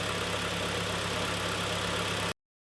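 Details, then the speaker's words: 2011 Kia Sportage G4KD 2.0, manual, FWD, 150,000 km, after repair of severe piston knock and scored cylinders with new clutch: short smooth quiet even idle, no knocking or ticking; runs normally. "Так, работает ровно, работает тихо. Вообще красота."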